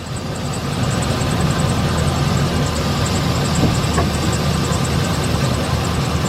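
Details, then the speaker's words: 2007 Chevy Express 3500 V8 van after two Motor Medic flushes and oil changes for sticky lifters: smooth steady idle with only a light even injector tick, lifter clickety-clack gone; healthy. "From that clickety-clack, tickety-tack, sticky lifter to this now. Perfect."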